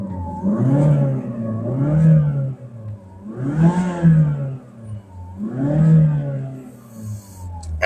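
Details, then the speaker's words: Mazda3 Skyactiv BN with about 75,000 km, three free revs: each swells and falls with a low hum underneath. The mechanic suspects a dirty intake manifold, worn spark plugs or the AC compressor; unconfirmed. "เครื่องหึ่งนิดนึงนะครับหึ่งนี่ก็บางทีท่อรงท่อร่วมสกปรกหัวเทียนไม่ดีอะไรอย่างเงี้ยนะครับมันก็จะทำให้ดังได้หรือคอมเพรสเซอร์แอร์อ่ะ"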